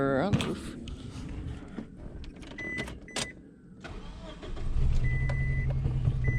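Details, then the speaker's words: Subaru engine after new spark plugs, still misfiring, loud injector clicking on 3 and 4: lumpy uneven idle with regular stumble; dead cylinder number four with zero compression, owner suspects a bad injector. "not still missing so so i'm noticing that there's a really loud clicking noise um when i unplug the injectors both three and four"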